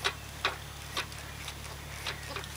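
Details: Engine not running, crank turned slowly by hand: dull clunk about every half second with noticeable play. A spun No.3 rod bearing is suspected, from overheating and over-revving that caused oil starvation, damaging the crank and conrod; engine junked.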